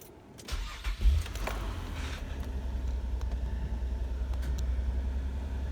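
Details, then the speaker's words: Nissan Maxima after fixing a P0221 throttle pedal position sensor code and erasing it: short crank, quick catch, then a smooth, even low idle with no check engine light. "okay I think we fixed it cool flip the throttle one time okay it's working"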